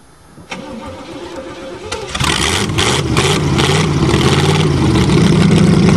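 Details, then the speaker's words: Chevrolet whose engine is almost seized after standing 7 months with water in it, cranked hard: slow, labouring cranking, then it catches and settles into a lumpy, rising run; a stiff engine after water ingress. "you got the wheel crank too hard you're overstressing it remember this motor is almost seized uhhuh it's had water in it now for 7 months"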